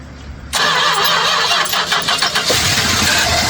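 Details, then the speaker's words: 1967 Chrysler Newport that sat for years, started off a jump pack: fast, even cranking tries to catch on fuel squirted into the carb but won't run. The fuel pump isn't pulling fuel through the clear filter. "I'm looking at the clear filter I put on there though. She's not pulling any fuel."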